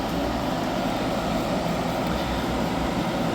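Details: Hyundai small portable air conditioner after leak repair and recharge, fan turned down low: loud but steady fan and compressor, no knocks, rattles or squeals; running normally, cold throughout, no longer icing up.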